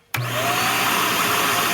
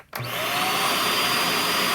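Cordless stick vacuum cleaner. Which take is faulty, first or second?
first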